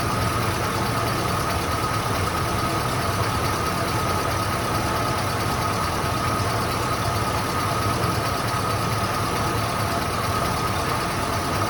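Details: 1993 Ford Bronco with newly installed engine, first run before coolant fully topped off: smooth, even idle with steady drone, no taps or knocks, lifters/rocker arms seem properly adjusted; timing possibly a little low or high.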